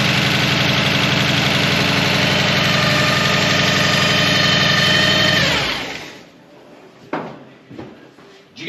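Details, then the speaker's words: TH400 with a TransGo shift kit, previously suspected low on fluid: a loud, steady supercharger-like whine rides over the engine, then fades as everything spins down. Transmission whine. "Now, that noise that we hear, that transmission squillings that sound like a Pro Charger, that's what I don't like. Okay, because it's loud."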